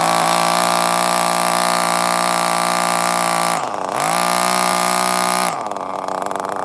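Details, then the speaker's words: 2002 vintage Tamiya Terra Crusher 1/8 nitro engine, just primed with a very low idle setting, makes a high buzzing note that sags and nearly dies twice. It is running too rich, so the throttle trim is being raised. "too rich too rich i'm raising the throttle trim"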